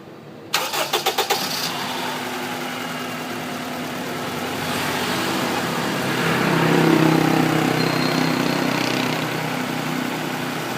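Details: 2003 Honda Accord K20 petrol engine cranks, catches and settles into a slightly uneven idle from a misfire, apparently cylinder 3.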